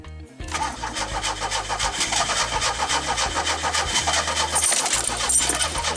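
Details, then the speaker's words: 1984 Pontiac Fiero with an ECM swapped in from another Fiero, fuel pump heard priming: starter churns steadily at three to four beats a second, but the engine never catches. Coolant temp sensor suspect. "Well, here it is hours later. The car still don't start, unfortunately, but I'll have to continue this later date."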